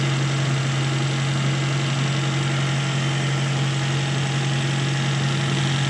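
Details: Toyota with a carburettor that would not start, after a vacuum leak at a hose was fixed: a steady, even idle with a low constant hum and no misses, knocks or hunting. It is running smoothly.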